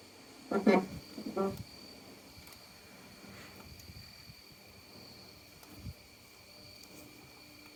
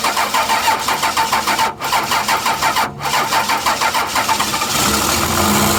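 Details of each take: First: 12-valve Cummins diesel sitting nine years, lines loosened to bleed air: cranks steadily with quiet clicks and faint whine but won't start; key on, fuel shutoff solenoid not lifting. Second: 12-valve Cummins diesel after nine years sitting, fuel shutoff valve pushed up by hand, batteries charged plus jump box: even cranking, catches into a steady rough-edged idle; runs good, injection pump seems a little sticky.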